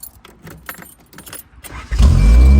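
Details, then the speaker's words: 1987 Honda Accord carbureted engine: after some rattling it starts right up and settles into a loud, steady low idle with no stumbling; much better, though more adjusting still expected. "Starts right up. That's better. Much better."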